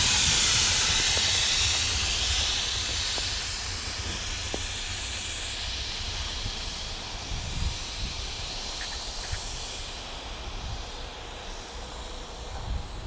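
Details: Northbound mixed freight train led by engines WAMX 6001 and WAMX 4213, rolling slowly on a cold morning below 0°F: a steady loud hiss of air escaping at the rear, over wheel clatter that fades as the cars pass.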